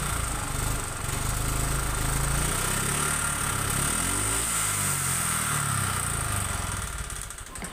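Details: Honda Vario 125 injection scooter (K59), never serviced and oil never checked; uneven, lumpy rough running with a low throb wavering about four beats a second, white exhaust smoke, and radiator coolant bubbling out as throttle opens.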